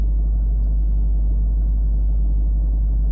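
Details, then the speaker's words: Range Rover L322 3.6 TDV8 sat on its bump stops, trying to raise at diesel idle: only a steady low idle rumble, no compressor noise; Hitachi air suspension compressor not running. "Well, oh it's trying to raise the vehicle no error message. I can't actually hear the"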